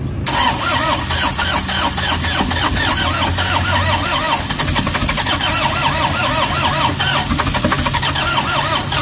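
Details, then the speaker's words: Toyota HiAce with codes P0087, P0107 and P0400: starter spins the engine at a fast, even rhythm that never catches. Crank-no-start caused by low fuel rail pressure. "So yun ang pinakaproblema niya ah talagang ayaw umandar tapos bigla lang siyang namatay and then hindi na siya umaandar."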